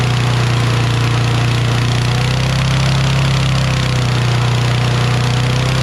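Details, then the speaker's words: Toro Recycler XT675 mower with Kohler engine after carb cleaning, valves at 0.004 in intake and exhaust, started after a couple of pulls: steady, fast, even drone with no dips; governor suspected still set too high; high idle speed. "so uh let me mess with this governor because the governor i adjusted yesterday and i think it's still revving too high"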